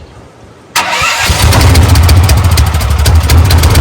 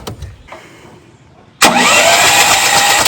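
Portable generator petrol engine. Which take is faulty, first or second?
second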